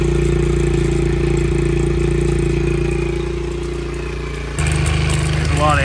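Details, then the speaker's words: Honda XR70 small single, low compression and smoking, suspected worn rings, after running about 10 minutes: loose busy clatter over the exhaust beat, sounds like cam chain slap; cam chain slap. "of engine noise going on right now this is after running for about 10 minutes it's really a lot of cam chain slap it sounds like"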